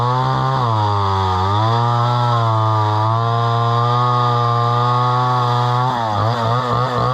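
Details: Homelite Super XL chainsaw bought at auction, about 50+ years old, 20-inch bar; strong even two-stroke buzz dips under the cut and recovers cleanly, no misfire or stumble; runs well with good power.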